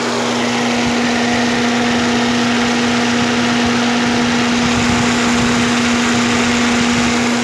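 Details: Fiat Palio 1.6 8V SPI after cooling fan noise repair, steady idle with even hum and no rubbing, rattling or whining from the fan; normal cooling fan operation.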